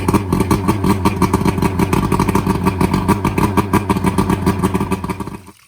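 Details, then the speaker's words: Outboard that was half submerged when the boat sank, bad fuel replaced with fresh: restarted after running a minute and being shut off, fires straight back up to a steady even beat about three per second, winds down cleanly; normal restart and run. "It cranked up, ran for about a minute. I killed it, and I'm gonna go ahead and see if I can crank it right back up."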